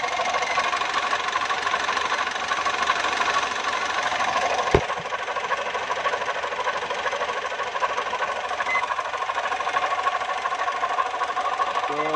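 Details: Foton engine running steadily with a persistent rapping knock about two to three times a second over the hum; an internal knock whose source is not pinned down.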